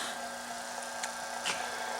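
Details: AC vacuum pump evacuating a Chevy/GMC truck AC system (Silverado, Sierra, Tahoe or Suburban) after clutch/compressor work, near 10 minutes, vacuum holding steady: quiet, steady hum with even whir, no surging; pump running smoothly.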